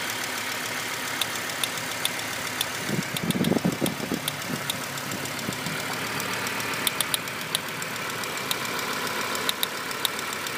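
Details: 1998 Volvo V70 idling petrol engine with a light, plastic-sounding click repeating irregularly from the back of the engine over a steady hum; cause unknown.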